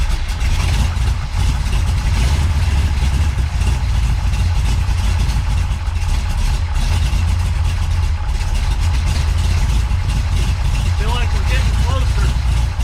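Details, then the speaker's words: Big-cam big-block Chevy with a rebuilt Holley 750 double pumper after a second set of butterfly holes: deep, lumpy idle that wanders and never settles; still rough, and the owner suspects low vacuum from large cam overlap and may enlarge the holes. "still not there yet might have to end up hogging her out [Music] n just something else isn't right"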